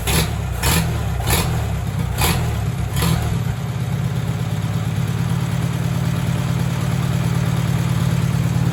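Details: 1944 Farmall tractor revived after sitting for years, carburetor bowl cleaned, governor and choke linkage broken: catches after a few sharp bursts, then settles into a steady, lumpy, low-pitched run; running again.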